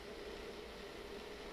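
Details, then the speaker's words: Treadmill running with belt tracked too far left, steady hum with faint continuous scrape as belt side rubs the inside trim. "hear the side of the belt is rubbing against the inside of this this part here so I'm going to show you how to adjust that"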